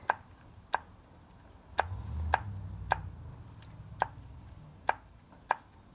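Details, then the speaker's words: 1965 Harley FL panhead 4-speed ratchet-lid transmission with loose roller bearings, during rebuild; about nine sharp clunks in six seconds as the shaft is shoved back and forth in a quiet room, showing excessive end play. "you can push on it for Inplay hear all that Inplay it's got quite a"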